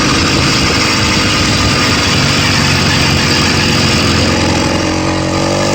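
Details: Stock 80cc two-stroke bicycle engine kit, brand new out of the box, cruising through town; loud, rough exhaust note with an uneven knocking beat, suspected rod knock.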